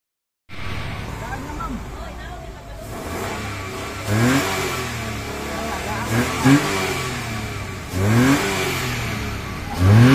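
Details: Mitsubishi Mirage that had been cranking without starting: steady idle with four quick, clean revs that rise and fall smoothly, no misses or knocks; engine now runs healthy.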